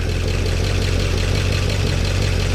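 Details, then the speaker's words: 1969 Chevy C10 V8, restarted after slight timing adjustment, oil pressure at 50 psi, oil dripping from gauge fitting: steady even idle, smooth low rumble, quieter than before, no ticking or knocking; normal idle. "Oh, it's much quieter too. Gotta tighten this. Dripping oil. We got 50 psi. I'm good with that."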